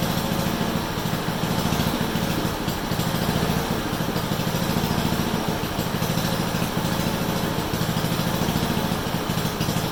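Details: Honda HRU196 mower after carburetor cleaning, reassembly and a fix for a long-standing fuel restriction: holds a strong, even drone at high speed with no misses or surging; runs cleanly, better than in a long time.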